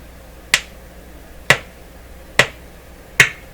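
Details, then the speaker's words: Nordmende Spectra Phonic radio, clip leads on speaker output wires to a replacement speaker; four sharp single clicks about one a second as the lead touches: suspected DC voltage on speaker output, not yet confirmed by meter. "so what's that telling me well let's turn this off I think that's telling me there's a DC voltage at the end of these wires and you don't want that"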